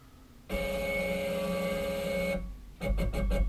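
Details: CNC router stepper motor after tuning steps-per-unit in Mach3: even steady motor whine for about two seconds, then a few quick stepping clicks as it settles; smooth, healthy stepper run.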